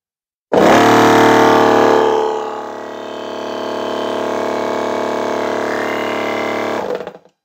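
Steady buzzing hum with an even rumble that dips briefly then settles for about six seconds, a shaker motor running normally.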